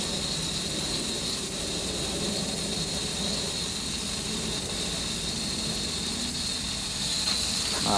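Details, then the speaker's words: DIY waterjet cutter intensifier pump with the ball valve closed and a broken regulator; only 60–80 psi utility water free-flowing out the ends; steady hiss over low pump rumble, no pressure building; pump cycling with no back pressure. "his ball valve right here is closed so what's happening is the water is free flowing out the ends because when this goes in here it could instantly just travel right out and this is just the 80 psi or the 60 psi that's coming out of the water from the utility and then even if I crack the air you'll listen to its cycle"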